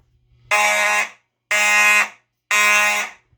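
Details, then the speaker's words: EST/Edwards IO-64 fire alarm system with EST Genesis horns running on AC power only: three clean, steady, even blasts about once a second with no rattle or warble. Sounds much cleaner than before; normal horn sound. "that sounds so much better that sounded a lot better"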